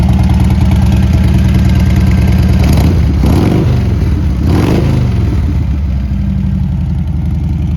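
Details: 1998 Harley-Davidson Heritage Softail Classic FLSTC, 1340cc V-twin, 34,300 miles: steady loping idle with two quick throttle blips, revs rising and falling cleanly with no knocks or rattles; the motor sounds good.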